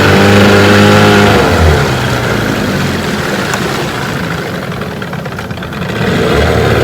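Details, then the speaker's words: 1992 Evinrude 15 HP outboard (E15RNM) on the water after shift linkage adjustment for slipping out of gear, shifting forward and neutral; steady idle, note dips and recovers as it goes in and out of gear cleanly: normal gear shifting. "I've been running there for about 15 minutes, shifting it back and forth, and it seems to be working."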